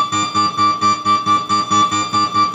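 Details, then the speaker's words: Oberheim OB-X synthesizer after repair of mouse-urine corrosion and shorted voltage rails, not yet calibrated: clean evenly repeated chord notes, crisp attacks, no squeaking note any more, responding to controls; normal synthesizer note output. "there's no squeaking note and uh it's responding to the controls"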